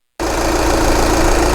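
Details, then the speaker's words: 2011 VW Sportwagen TDI after fuel pump replacement, restarted: steady diesel idle clatter with a faint unevenness; still slightly rough but improved; cause of remaining roughness not confirmed. "okay well feels like it's still idling a little bit rough I think it is [Music] improved"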